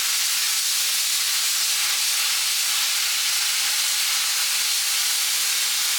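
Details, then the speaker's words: Jegs 40 amp plasma cutter at 30 amps, air pressure 60–70, cutting 3/8 inch plate: steady, even high-pitched hiss with no sputter; normal, quick clean cutting. "yeah that makes pretty quick work that's spark but makes uh makes quick"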